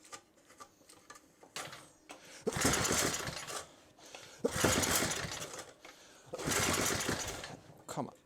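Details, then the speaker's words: Rebuilt rototiller engine on first pulls after assembly: repeated recoil pulls about every two seconds, brief sputters and one pop but it never catches; cranks but won't start. "it so badly wants to I can feel it I can hear it come on come on now come on whoa that was something it popped huh"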